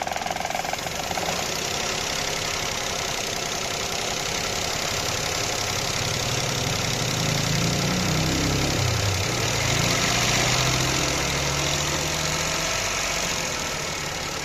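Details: Petrol car engine (a Toyota per the description) idling with an uneven, stumbling misfire beat and briefly revved lightly midway, under heavy hiss. The cause is suspected, not confirmed.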